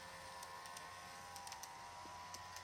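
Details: Kato 521 series model train unit after about 20 minutes running: faint steady high-pitched hum with light ticking; the noise returned despite oiling three times, each time curing it, and there is no loss of performance.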